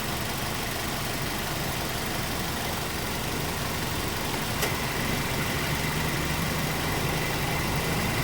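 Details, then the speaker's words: Mazda 3 engine idling during belt-noise diagnosis: brief click as the AC compressor clutch engages, then a faint high chirp from the clutch; alternator pulley also noisy but charging fine at about 14 V. "in a second you can hear that little little chirp coming from the AC compressor clutch"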